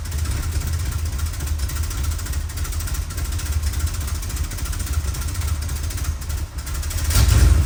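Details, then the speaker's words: 1962 Chrysler New Yorker, 440 V8, cold before carb tune-up: rough uneven idle, then stumbling as revved near the end; sputter on acceleration when cold, owner attributes mostly to cold engine, not confirmed. "Now, majority of what you were hearing is because she's cold. I mean, she's got a 440 in her, so it takes her a while to warm up."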